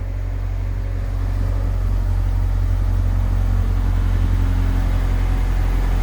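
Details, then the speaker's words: AWD Honda Civic EM2, first start with new turbo, 1000cc injectors and a new fully open 3-inch ovalized exhaust with no baffles: very quiet, deep drone building smoothly on light revs, turbo spinning, slight blow-off; engine sounds healthy. "Dude, this thing is insanely quiet. Motor sounds good. Nice and healthy."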